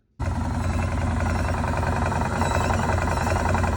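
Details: Defender running with a loud, coarse rattling rumble held steady, likely from the belt and clutch area; the fix shown starts by removing the tire and inner plastic panel to reach the belt cover. Drivetrain rattle.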